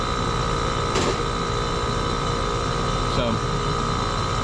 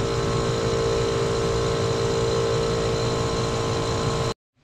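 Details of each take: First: Two-stage scroll gas pack, blower door off: steady, even hum with constant whine, no knocking or rattling; compressor stages up to second stage, amp draw and head pressure rise and suction dips; normal running. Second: Two-stage scroll compressor gas pack with condenser fan unplugged: steady compressor hum with fan tones, then dead cutoff at about four seconds as high-pressure switch HPS1 trips at about 650 psi.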